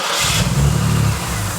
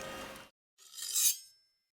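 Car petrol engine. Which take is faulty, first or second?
first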